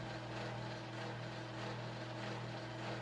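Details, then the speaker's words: Panama Fan Company gear-driven 52-inch ceiling fan from the early 1980s, mostly plastic, with a small gear motor and flywheel, running: steady low drone with a grainy, hollow ring as gear noise resonates in the open plastic housing. "yeah the noise really detracts from everything and it doesn't help that that plastic housing is completely like open so the S gives that sound some space to resonate acts like a resonation"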